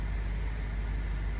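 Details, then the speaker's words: 2008 BMW 650i Convertible V8, abandoned 8 years, first run after CAS module and key programming: deep even idle, steady low rumble, no misses or ticks; sounds great and smooth. "Well, we still don't know if that engine is like, you know, it It sounds great. It sounds great."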